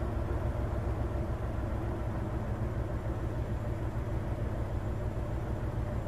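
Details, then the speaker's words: Hyundai Terracan with a misfire, cylinder cut test: steady, uneven, lumpy idle, and cutting cylinder six causes no rpm drop at all, so cylinder six is dead, as the scan tool also indicates. "try again nothing no drop at all"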